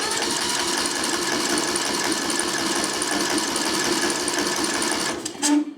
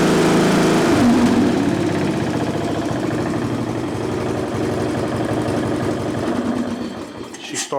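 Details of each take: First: Craftsman LT1000 riding mower, sat outside for years, full throttle, auto choke: steady rapid starter chugging for five seconds with no firing; crank no start, fuel not reaching engine. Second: Craftsman LT1000 riding mower, sat outside for years, after carburetor reinstalled and anti-backfire fuel shutoff valve plugged in: catches and settles into an even small-engine beat, steady pitch, no stumbling or knocking; normal running.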